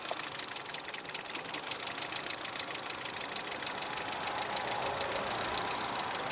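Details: VAZ 2110 16-valve engine at idle: steady light ticking knock about three per second, bright metallic clatter up top; engine knock, source not pinned down.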